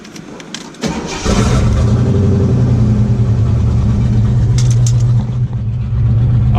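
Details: C4 Corvette after replacing the plastic brake booster with a steel one: the engine cranks, catches quickly and settles into a smooth, steady idle with no hiss; the vacuum leak is gone. Normal start and idle.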